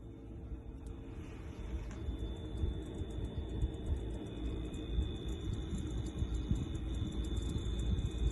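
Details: LG LFXC22526S refrigerator with a low, rough buzzing rumble from its new-type compressor. It began about two months into ownership; the technician replaced the compressor, and so far so good.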